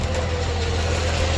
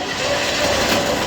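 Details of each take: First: DK2 Warrior Samurai 17,500 lb winch on MAXXD roll-off trailer after repair with manufacturer-supplied parts, pulling a car up: steady low motor hum, no grinding or knocking; winch runs normally. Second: DK2 Warrior Samurai 17,500 lb winch on a MAXXD roll-off trailer, after three years of heavy daily dumpster loading: short harsh grinding roar with faint steady whine as the brake engages near the end of the pull; worn or damaged winch gear.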